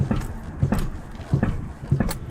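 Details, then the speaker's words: 1989-1994 Lexus LS400 while moving and jabbing the brake: four dull low metal-on-metal thuds, one per brake jab, silent when pumping brakes at a stop; front-end clunk from worn front strut rod bushings. "basically jabbing at the break and you can hear some metal on metal noise"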